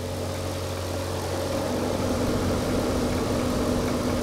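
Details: Mercedes SL55 AMG (M113K supercharged) idling after hard pulls with ported 92mm snout and throttle body, before belt removal to check supercharger pulley bearing: smooth, even idle, steady hum, no whine, chirp or rattle from belt side.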